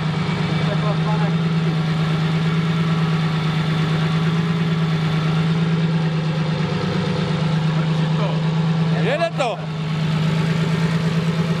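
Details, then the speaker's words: BMW M50B25 turbo double-VANOS custom engine build, cold (not warmed up) idle running rich: steady, slightly lumpy idle with a faint light clicking from solid tappets (no hydraulic tappets), not very loud; sounds like an old engine; normal. "Do you hear the light clicking noise? There are no hydraulic tappets. But the noise is not very loud."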